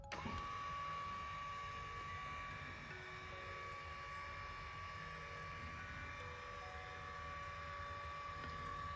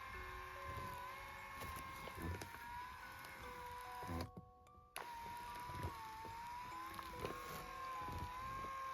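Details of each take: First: Lourdes massage cushion L (AX-HL168) after repair: quiet even hum, faint steady tone, no knocking or rattling; the worn lifting, resonating roller was fixed by adjusting the roller shaft angle to fill the gap, grease having made no difference. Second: Lourdes massage cushion L (AX-HL168) running under body weight: steady motor whine with gritty "buzz" and scattered knocks, heard near the top of roller travel, fine going down; worn up-down rollers leave a gap, noise from gear/motor area.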